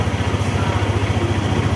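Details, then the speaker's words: Motorstar ADV 175 scooter, about six months old, that wouldn't start until a dirty switch was cleaned: steady, even low putter at idle with smooth regular beat and no knocks or misses; normal idle. "Umandar na ulit ang ating motor Motorstar ADBI."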